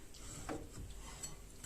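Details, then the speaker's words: Faint, dry scraping swish repeating as the wheel is turned slowly by hand: a new brake pad lightly rubbing the disc on a Citroën ZX during a brake job, reduced by sanding the pad. "Regarde, il y a un bruit de frottement."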